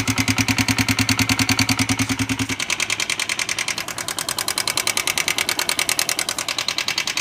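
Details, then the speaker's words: 2015 Honda CB Shine 125 single-cylinder: sharp even ticking about three times a second over steady idle from excessive valve train play; worn push rod, later replaced. "इसके अंदर एक आवाज आ रही है दोस्तों यह देखिए दोस्तों यह इसमें से आवाज आ रही है"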